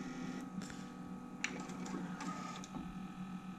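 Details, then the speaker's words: 1993 Sony TC-K611S three-head cassette deck: capstan motor spins noisily with a steady whirring hum and faint whine, but the capstan roller does not turn, because the 30-year-old drive belts have turned to sticky goop; the belts need replacing. "the Capstone roller is not spinning so on this deck when we switch it on the motor is supposed to drive the Capstone roller that's meant to be spinning all of the time and the motor's spinning obviously because we can hear it but the Capstone isn't so this will need some belts"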